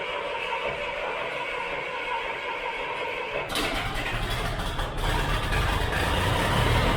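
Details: Tractor just tuned up (oil and filter, hydraulic fluid and filter, spark plugs, O-ring, air filters): engine catches and settles into an even steady chug with no knocks or misses; runs smooth.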